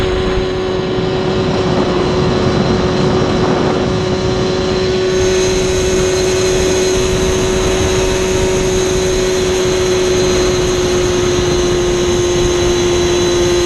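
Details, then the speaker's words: Yamaha Banshee two-stroke, warmed up on a hot day, during a midrange plug chop: held at part throttle it drones but flutters roughly and won't clear until opened further. Suspected to be running rich on the needle setting. "Right at that throttle range, it's got a really nasty flutter to it. Like, to me, it sounds rich, so we're going to see."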